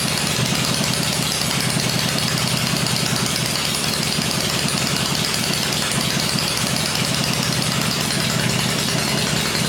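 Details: First start of a freshly rebuilt 96-inch engine with Edelbrock heads on an engine stand gives a steady but loose, uneven-loping V-twin idle, quiet and with no ticking or knocking. Normal idle.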